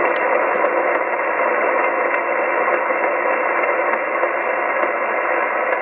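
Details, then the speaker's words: Plastic-cased, unshielded switch-mode battery charger plugged in near a radio on 2 m AM and SSB: loud steady hiss with faint regular pulses from the charger pulsing the battery; RF interference. "if you listen carefully you can hear the faint Pulses from the unit pulsing the battery"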